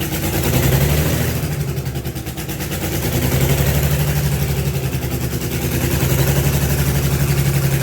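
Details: Allis Chalmers HD20 crawler, GM 6-110 two-stroke diesel, first run after 15 years sitting, blower rebuilt, full-flow filters, worn exhaust manifold/muffler: deep throbbing beat sagging and recovering over seconds, no knocking or clatter; running acceptably, heavy smoke.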